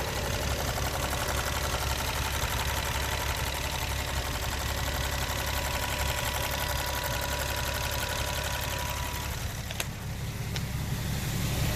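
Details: Infiniti G37 warm petrol V6 at idle: steady light tick about three a second, traced with a funnel to the evap canister purge solenoid; replacing it didn't stop the noise, since the new part is just as noisy.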